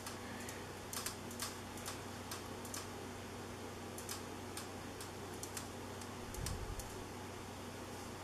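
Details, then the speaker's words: 1980s Moss WF Series 132 cm polished-brass top-mount ceiling fan, made in Hong Kong (speeds est. 55/120/160 rpm): quiet running with faint irregular ticks and creaks as the cane blade inserts creak, intensity varying, sometimes absent; motor itself quiet, no humming. "so you can probably hear the the cane on the blades creaking a little bit it doesn't do it necessarily to the same intensity sometimes it's much more than that sometimes it doesn't do it at all"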